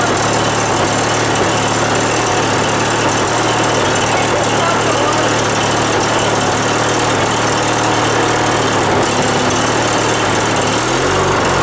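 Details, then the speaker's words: Riding mower, single-cylinder, just started after starting fluid was sprayed into the intake and the air filter refitted: steady, even chugging idle with no misses, knocks or stumbles. It runs normally. "Oh, you mean termites? Hey, it runs!"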